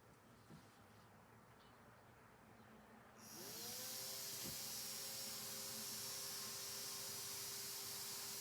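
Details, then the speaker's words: Thermostat-controlled brushed DC fan (Arduino Uno, H-bridge) kicking on as the temperature sensor is breathed on and warms above the thermostat setting. Quiet, then spins up to a steady high hiss and whir with even tone; normal. "if i breathe on this again it's going to start to fan up"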